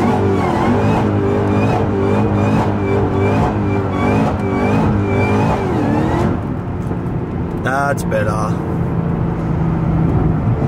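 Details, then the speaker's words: Supercharged LS V8 car, previously stock and supercharger inaudible, now with an upgraded smaller supercharger pulley, accelerating through gears: high whine climbing with revs over the V8 roar; normal supercharger whine. "I just wanted to sound more whiny coz when I got the LS like it's got Alesana but its stock you can't even hear the supercharger so hopefully now with the pulley upgrade and stuff you can hear it want a bit more"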